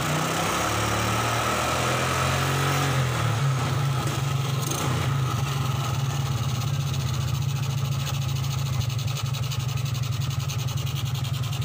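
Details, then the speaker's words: 2003 Suzuki Smash 110 after repair, battery refitted, multimeter on DC volts: brief unsteady patch settles to even steady idle; charging voltage now up (about 13 V expected), no more misfire. "Nah, ini pengisiannya sudah naik ya, sudah nggak berbet lagi."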